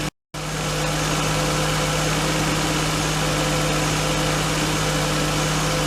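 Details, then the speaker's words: R32 Skyline RB25DE engine on new NP Boosted/Napol ignition coils and harness, restarted to check for the earlier start-up misfire: after a brief cut-out it settles into a steady, even idle hum with no stumbles or missed beats; misfire not repeated, normal idle. "Well, seems fine, so just going to clean up, call it a night, and then fire it up tomorrow and drive it and see what happens."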